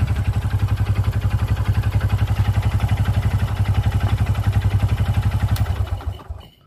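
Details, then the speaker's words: Honda Supra X 125 motorcycle with a rough engine: steady idle with a heavy, regular low thump about four per second from the middle of the engine, which gets worse as revs rise; a sign of a damaged connecting rod. "ya suaranya ada di sebelah sini nih ada di sebelah tengah mesin dan ini salah satu ciri-ciri stang piston yang sudah kena"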